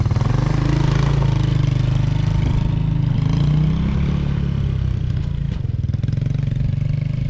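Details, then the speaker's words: Kids' ATV after shortening and lubing the drive chain: a small single-cylinder engine chugging at a low, steady pulse with no chain slap or rattle. Chain repair successful. "i don't really hear the chain rattling as much as i did before and uh we got it all good and lubed up"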